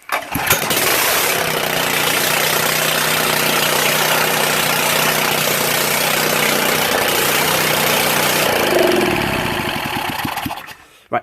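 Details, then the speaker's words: Honda water pump engine, restored after seizure and water damage, carb cleaned, still contaminated oil, exhaust manifold and cam cover off: starts readily, then runs at steady speed with an uneven, ragged beat; rough running before final adjustments. "so you can kind of hear it's running a bit rough so uh i suppose i'm going to change the oil again put the exhaust manifold on put the cam cover on and then we can try and sort out that rough engine running"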